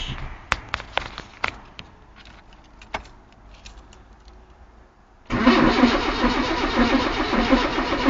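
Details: Engine with new carburetor fitted, on choke after a couple of pumps: a few clicks, then steady starter churning with no firing; crank no start traced to a faulty new ignition condenser, old condenser worked.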